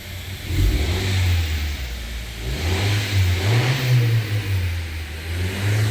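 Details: Honda Civic (2015–2021) no-start fixed by replacing damaged ignition coil fuse 15, restoring 12 V: engine catches and revs smoothly up and down, even note, no misses or knocks; normal running.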